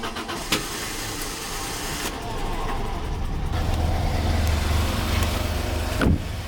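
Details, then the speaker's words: Peugeot 605 3.0 V6 PRV idling after fixing leaks: steady, fairly even low idle, no puffing or ticking; much improved, though owner suspects injectors as it rarely runs on all 6 cylinders, especially at full throttle. "C'est quand nettement mieux là déjà on peut s'occuper des injecteurs maintenant je suis assez convaincu que le problème vient de là vu qu'elle tourne rarement sur 6 cylindres encore moins quand on met gaz en grand."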